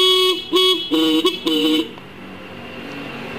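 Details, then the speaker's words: Horn after turning its adjusting screw left to fix a weak or dead horn: several loud, clear blasts with a steady high tone. The horn sound is now strong and normal. "ada suaranya semakin keras ya"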